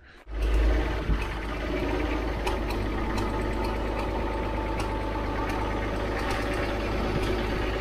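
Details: Abandoned TD9 bulldozer diesel after long overdue service and repairs, test run checking for leaks: fires up and settles into a steady, even drone with occasional light clicks; runs smoothly, nothing alarming.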